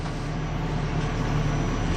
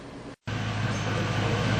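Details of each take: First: Ford Crown Victoria V8 idling with freshly installed spark plugs: deep, uneven exhaust beat skipping irregularly, an intermittent misfire suspected from a plug gap bent too close or fouled. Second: Ford Crown Victoria after fixing an intermittent misfire: a smooth, even idle with a low hum and no puffing or skipping. The puff-puff skip came from a spark plug gap set too wide on newly installed plugs.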